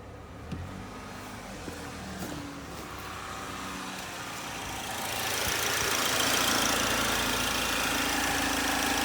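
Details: 2010 Chevrolet HHR 2.2 Ecotec at warm idle: steady, even tick about four times a second over a quiet idle, growing louder; abnormal warm-engine noise, owner cannot identify the cause.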